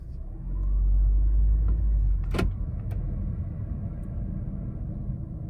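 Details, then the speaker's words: Car sat two weeks, reversing slowly and applying brakes: low rumbling scrape or grinding with a couple of sharp clicks, from surface rust on the brake rotors rubbing the pads. "so let's try backing up and see if we can hear those noises and apply the brakes can you hear that like that grinding noise"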